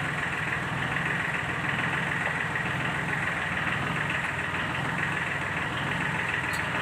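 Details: Sunshine L1-255 tractor with D1462-TV diesel at idle, before repair: a rough, uneven ticking clatter about once a second over a low drone, an internal engine fault; fixed by replacing the valve seat and piston rings.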